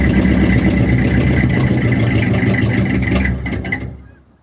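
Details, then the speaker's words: 1967 Ford F250 crew cab runs rough for a few seconds, then sags and dies from fuel starvation. This follows a cleaned tank, new fuel hose and filter, and a blown-out rigid line. Fuel flow is still weak but better than before, on a warm ~70°F day with choke. "Okay, so the fuel flow is not amazing, but definitely better than yesterday."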